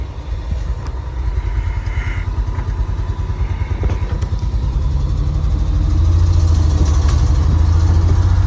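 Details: Old Ford bumpside crew cab truck run for the first time in 20 years, manual shifter: engine idles with a quick, busy beat, idle set too fast.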